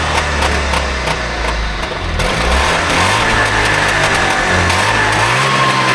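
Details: Trabant 601 two-stroke, recently bought, with a rust-seized wheel brake cylinder: uneven, stumbling beat that keeps faltering instead of holding steady; owner says it doesn't run right; likely fuel-related, not confirmed.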